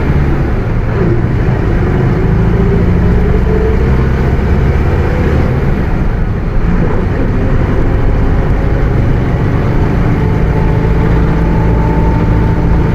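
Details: Bus with Mercedes-Benz OF 1721 BlueTec 5 chassis, Caio Apache Vip IV body, under way: steady low diesel drone with faint mid tone drifting slowly with road speed; rear differential howling.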